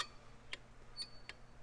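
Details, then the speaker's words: Cable-type drum brake: shoe rubbing over dry, rusty backing plate contact pads makes short, high scraping chirps; pads should be cleaned, and a worn ridge there can click or snap. "can hear it squeaking that squeak could be a customer complaint also if it develops a little ridge in there it can snap"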